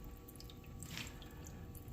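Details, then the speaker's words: Newly installed coolant pump on an upgraded Harbor Freight band saw, first start-up: pump hum under constant dripping and splashing as coolant leaks at a hose fitting; tightening the hose clamp stopped it. "Oh yeah, it's working, and it's leaking like a sieve up here somewhere. Looks like it might be in this little fitting right"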